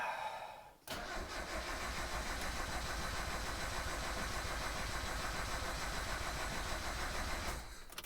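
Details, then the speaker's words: 1990 Mazda Miata after top-end engine rebuild: starter cranks steadily about three turns a second for six seconds but engine never catches; no ignition signal. "okay yeah i have no idea what's wrong with this car"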